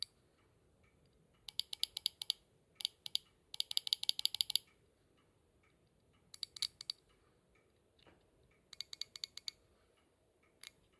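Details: Subaru Pleo engine noise blamed on injectors; after replacement, the old injectors bench-tested: bursts of sharp rapid ticking with some variation, and one injector's click clearly sounds different, pointing to a faulty injector.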